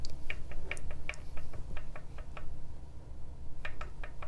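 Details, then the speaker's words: 2018 Wahoo Kickr trainer, loose keyway issue with apparently botched earlier fix and metal shavings: irregular sharp clicks and light knocks as the flywheel axle is worked back and forth and up and down; play in flywheel axle. "there's just a little bit of play I don't know if you can hear that where this the whole thing the flywheel axle moves back and forth a little bit inside of here"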